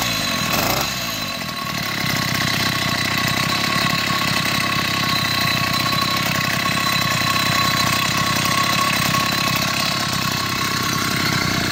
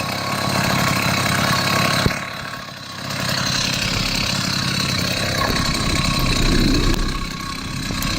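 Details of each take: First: Chinese 80cc two-stroke motorized beach cruiser bicycle engine after spark problems, with a new spark plug, boot and performance ignition; carburetor issues persist somewhat: buzzy note settles into a steady, even putter with no misfire or stumble. Normal running. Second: Chinese 80cc two-stroke motorized bicycle engine, still cold; carb still needs tuning: buzzy note sags and stumbles about two seconds in, then picks back up. Engine bogging.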